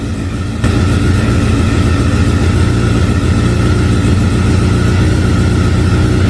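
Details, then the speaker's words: 2009 Honda Fireblade CBR1000RR four-cylinder, sat outside in an auction lot a long time, battery not fully charged: idling fast with a slightly uneven, wavering beat; rough running after storage, cause not confirmed. "I did turn it over last night briefly. Um it didn't run very well, which is to be expected seeing as it sat in an auction lot outside for quite some time."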